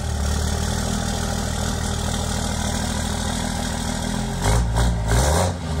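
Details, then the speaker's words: Cummins diesel (1500hp project truck) with five-inch exhaust all the way back, at the exhaust before its first drive; steady deep burble at idle with clean quick throttle blips: normal idle. "let's get this thing down and we'll give you guys some exhaust sounds"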